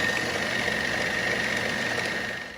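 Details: 1940s RCA 16mm projector running forward on the replacement Bell & Howell spring drive belt: a steady whirr with a constant thin high tone and no catches; the repair succeeded, normal running.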